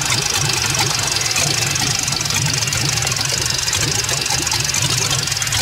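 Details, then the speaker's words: LS-swapped Fox-body Mustang at first start: rough, very low, uneven idle with an irregular knocking patter over a hiss. The cause is uncertain at first, either not enough fuel or too much air. The finding is that a wrong MAP sensor causes rich running and knock. "we're hearing a weird noise I don't know what that is but it's I don't know what that noise is that is so weird"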